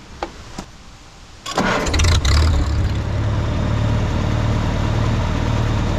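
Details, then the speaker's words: 1952 Farmall Super C tractor restarting easily after distributor repair and lubing the points shaft: a few clicks, brief cranking, immediate catch and a steady, even idle; normal start and idle. "so try to keep that lubed and watch how easily it starts back up"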